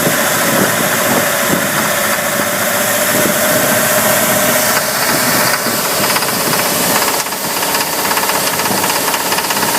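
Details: 5.7 MerCruiser boat V8 under load, in the water at around 2000 rpm, with a rough, uneven knock after overheating: a blown head gasket let coolant into two cylinders; the heads were machined and the gasket replaced.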